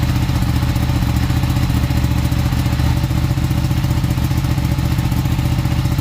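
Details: Ducati 959 Panigale race bike with a crank-no-start and misfire fault, running after a part was cleaned as an experiment, on a low battery. A steady, even low thrum with a firm exhaust pulse and no misses; the engine runs cleanly.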